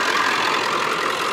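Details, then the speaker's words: Car on its first drive after a list of repairs, hood open: steady, even idle with no knocks or ticks, fresh exhaust pipe burning off residue; belt looks good, engine sounds healthy, normal idle. "sounds good fresh pipe burning off a bunch of fresh stuff"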